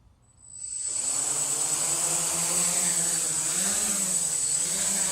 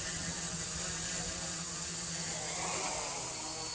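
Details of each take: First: PX4 drone hovering during manual PID tuning in QGroundControl, with the gain raised to 3: a steady high buzz with the motor tone twitching quickly up and down; motor oscillation from excessive PID gain. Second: PX4 multirotor (Hardware Store Drone) on baseline flight before PID tuning in QGroundControl: steady high motor whine with even propeller hiss, holding level without surging; stable, snappy, responsive hover.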